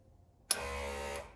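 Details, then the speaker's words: Rebuilt convertible top flap transmission for a 1961–66 Ford Thunderbird, four-wire motor bench-tested: short steady even-pitched hum, starting and stopping cleanly without grinding or chatter. Normal motor operation. "okay that's how you got to do these four wire ones and that sounds really good by the way"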